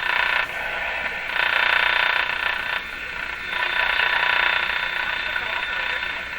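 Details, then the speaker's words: 1935 Rogers 7R622 tube radio with burned, shorted AM antenna transformer, tuning 590 on about 95 volts: steady rushing hiss swelling and dipping buries the station; heavy noise masking AM reception. "that's better did you get rid of that noise there's the station hidden under the noise so this is actually a noise blocker the way i'm using it"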